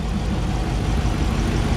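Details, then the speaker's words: 2009 Hemi 1500, first startup after engine rebuild, exhaust manifolds re-bolted: steady even idle, no lifter or bottom-end ticks, only faint normal fuel-injector clicking; runs healthy. "i don't hear any lifter ticks any lower end ticks that's good the only clicking i hear right now is looks sounds like it's coming from the fuel injectors which is perfectly normal this bad boy is running like a top"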